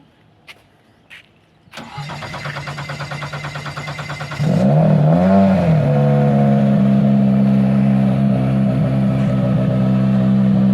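Long steady starter cranking, roughly three to four beats a second, before it finally catches and settles into a rough idle: hard starting. Cause suspected, not confirmed.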